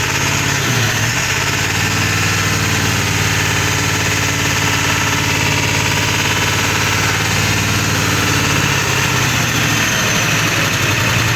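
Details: 1999 Powerstroke diesel, SES light on, blinking overdrive light, needed gas pumping to keep running, burning smell; ICP sensor and fuel filter already replaced, full tank. Loud lumpy, uneven loping idle with rattly clatter; rough idle.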